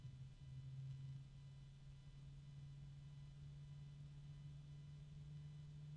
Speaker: it's very quiet but I can hear this weird kind of resonance kind of noise plus the low hum and the ticking has kind of merged into one continuous noise